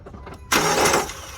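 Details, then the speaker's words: 2009 PT Cruiser, cranking no-start: the starter whirs fast and free with no compression pulses, and the cam gear seen through the peephole doesn't move. The timing belt has failed; the teeth are suspected stripped rather than snapped. "So you see that? That's not even moving. It should be cranking pretty fast. It should be cranking along with the timing, with the starter and all that. But so we know our issue, our timing belt."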